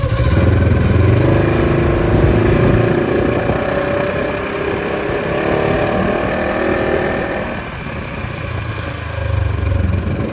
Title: 2015 RZR xp4 1000 gearbox transmission clutch WHINING noise